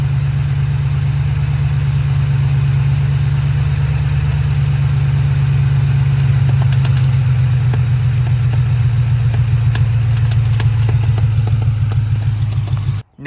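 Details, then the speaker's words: 2002 Ford Mustang GT 4.6L 2V V8 at idle: sharp, fast ticking over a steady low hum that disappears when given gas; owner first suspected a spark plug about to blow out and leaking compression. "I was not real sure what it was cuz at first I was thinking it was about to blow a spark plug cuz it sounded like it was leaking compre"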